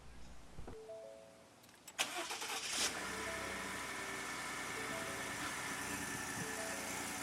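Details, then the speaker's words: 2015+ Ford F-150 just swapped from 23- to 36-gallon fuel tank with new pump, lines drained then primed by cycling ignition: cranks and stumbles briefly from air in the fuel lines before catching, then settles to a steady normal idle. "I'm going to start it and you're going to hear it hesitate for a minute, but then it gets right back up to normal operating mode."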